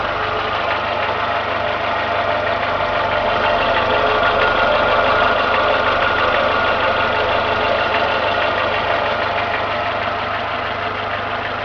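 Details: Renault Logan engine: steady idle with a fast even tapping about three per second, appears once warmed to two gauge divisions, absent when cold; cause unknown.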